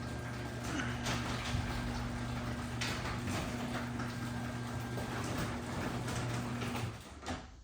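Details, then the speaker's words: LiftMaster 8557 Elite Series 3/4 hp AC-motor belt-drive opener with MVIS on a 16x7 CHI 5283 door: smooth, even low hum, no clunks or squeals, running steadily until it stops; nice and quiet, normal opener run. "Folks, that's what quality sounds like in an AC motor."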